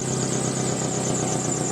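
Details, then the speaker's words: Chery QQ small petrol engine idling with loud rapid puffing chuff after underbody hit; leak heard between exhaust manifold and resonator, gap found at resonator joint, fixed by removing and welding resonator. "To find where the leak is, you need to start the engine and by listening, determine the location of the leak. By ear you can tell that the sound is coming from between the exhaust manifold and the resonator."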